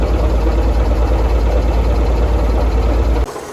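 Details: Circa-1952 Austin 6-cylinder petrol truck, 4-speed, started after possibly 18–20+ years standing, gravity-fed from a roof boat tank: deep steady idle with an even low beat for about three seconds, then cuts; normal running after long storage.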